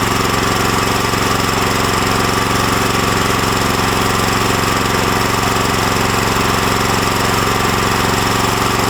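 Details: New Lifan LF390QE Pro single-cylinder engine with electric start, installed as a replacement on a flail mower: steady, even thump at a constant speed with no misses or knocks. Normal running.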